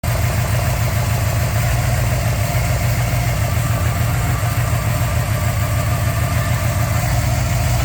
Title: 400 z28 rod knock